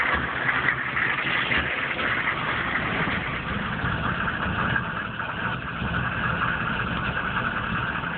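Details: 1995 GMC K3500 6.5 turbo diesel, 78,000 miles: irregular, loping rough idle. It misses at driving speed under full load, dies when the throttle is released and is sometimes hard to start. The owner suspects the PMD or injection pump.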